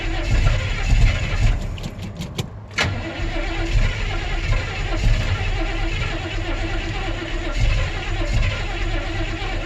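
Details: 1972 Chevy C10 truck cold start: long uneven cranking before the engine finally catches and settles into a rough, lumpy cold idle; hard cold start.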